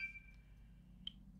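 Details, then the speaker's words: Xbox One S console powers on then immediately shuts off: brief power-on tone followed by one sharp small click as it turns back off; cause not yet known. "it's making a little clicking noise as well if you can pick that up on the microphone when it turns off"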